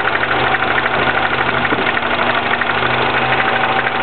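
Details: 2009 Mini Cooper S cold-start idle: dry metallic rattle running steadily at a few beats per second; timing chain rattle suspected, not confirmed.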